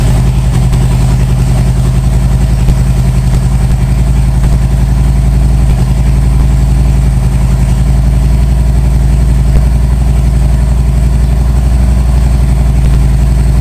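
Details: 1997 Harley-Davidson Road King Evo, first start after top-end and cam chest rebuild: loud, steady V-twin idle with even potato-potato lope around 220 beats a minute, no knocks or rattles, pressure washer outside; normal idle.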